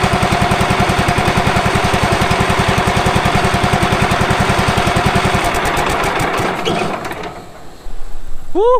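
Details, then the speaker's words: Late-1990s Wood-Mizer LT15 sawmill engine, sat for years, just started on choke after oil change, new battery, air filter, oil still low: even steady fast-idle firing, no knocks or misses, then winds down and stops: normal running. "she's alive all right let's run just a second sounds good"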